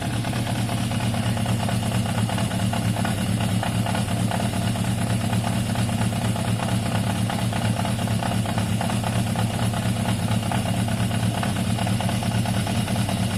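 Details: Yamaha XJ550 motorcycle warming up at a steady, even idle with no misses, surges or rattles after its carburetors were cleaned; revving strong, slightly smoky from carb cleaner and idle a touch low; normal idle.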